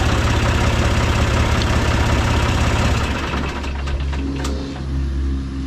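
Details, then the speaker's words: John Deere 2155 diesel tractor starting after replacing a faulty starter solenoid (before: wouldn't crank, only clicked); brief louder spell then a steady, even idle with smooth low beat and no knocking; fixed, running normally. "All right, let's try it out. All right, I'd say it's fixed."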